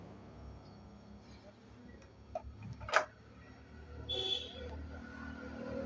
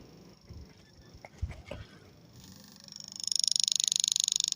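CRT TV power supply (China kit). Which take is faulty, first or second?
second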